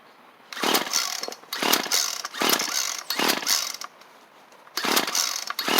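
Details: Small two-stroke Poulan pruner, which ran on 2-cycle mix before the work, after a new carburetor, air filter and primer bulb kit: about five short pull-cord bursts, each a quick rasping spin that dies, so it won't catch.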